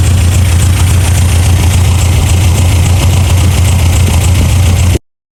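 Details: 1987 Toyota Pickup 22R four-cylinder, carbureted, low steady idle with even beat and no misfire after plug check and timing adjustment, following fuel pump and carb gasket replacement fixing vacuum leaks; all four cylinders firing, timing correct, idle just about perfect.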